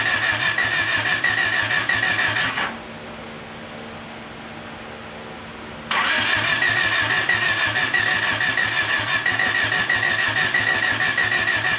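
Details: 1989 Honda Accord LXi coupe, long-dormant, after correcting distributor 180° off; fuel pressure leaks down, injectors suspected: steady rhythmic cranking about three beats a second, pause, more cranking, no clear firing; cranks without starting.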